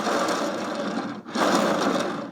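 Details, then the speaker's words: Lumina (possibly Aldi-brand) mixer, turntable spun by hand: gritty scraping rumble like rolling on gravel, light creaky build. Rough grinding turntable. "And I think we should all just just take a moment to appreciate the sound of um dubious quality, doesn't that? It sounds like it's rolling on gravel."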